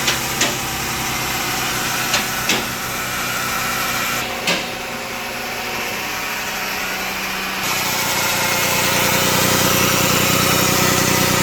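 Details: 2007 Toyota RAV4 AWD automatic idling with a steady whine underneath, automatic transmission pump whine noted in a warranty claim inspection.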